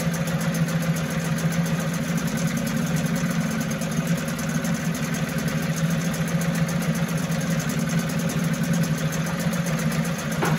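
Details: 1974 Mercury 4 hp single-cylinder two-stroke outboard, made in USA, revived after long storage: even, steady buzz with no misses, knocks or surging; runs clean and healthy, a sweet easy-starting machine, normal running.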